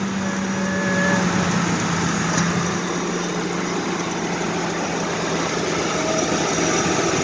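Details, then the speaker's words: Ford Explorer idling: even, steady idle with a faint tick over a smooth drone, no belt squeal or chirp; sounds really good. "Sounds really good. Heck yeah. Well, guys, guess what? I got another one going."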